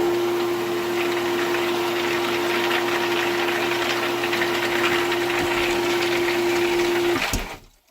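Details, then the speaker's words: Newly swapped well pump for a horse water supply, first power-up after priming and pressurizing to 20 psi: steady hum with a loose gravelly rattle like marbles through the run, then it cuts off; likely not yet filled. "sounds like a bunch of marbles better wait until it fills up some more"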